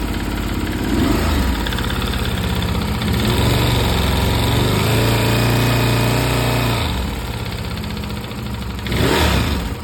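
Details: Stels Guepard 650G single at idle with a rhythmic knock riding each firing pulse, about three per second, and brief throttle blips; internal engine knock, cause undetermined.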